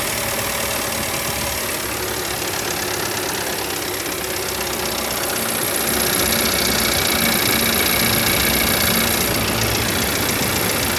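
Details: 2019 Audi Q5 2.0T on cold start just after the idle drop: a fast, busy metallic rattle lasting under 10 seconds, seemingly from the back of the engine. The owner wonders about the camshaft actuator; the cause is unconfirmed.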